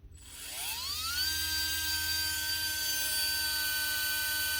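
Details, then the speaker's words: Makita DBO480 cordless sander (2024) that stopped after a drop, brushes not seating right: motor winds up slowly over about a second to a strained high whine; labored motor start, motor suspected faulty. "Difficult to start. You can hear it's labored, but it is working."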